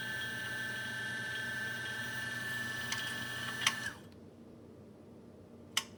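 A steady high motor whine with a light, uneven rattle riding on it, about three a second, until it shuts off; grinder rattle, cause unknown.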